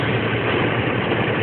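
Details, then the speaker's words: 1989 Dodge truck with the original 125 hp 3.9 V6 (non-Magnum): a steady, even low rumble with no knocks, misses or surges; smooth, healthy idle. "as you can see she idles pretty damn well she idles pretty well yes"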